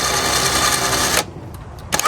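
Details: 5000 lb Badlands winch made portable, run out then in on the plug-in remote from a not fully charged jump pack: steady, even electric whir that stops cleanly and restarts smoothly the other way; winch working fine.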